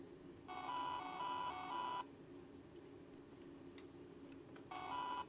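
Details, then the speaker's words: Failing hard drive under diagnostic test whose indicators turned red: buzzy, uneven beep of about a second and a half, quiet, then a shorter beep, described as sickly; diagnostic error beep flagging problems. "it's supposed to be a beat but it's actually going sounds really sickly I don't know why obviously it doesn't work very well"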